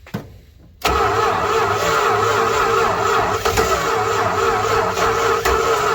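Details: 1968 Dodge Charger stored 40 years in and outside a barn, first start attempt with fluid fed into the intake: steady fast cranking with uneven whirr, engine coughs and almost catches but never runs on its own; crank, no start.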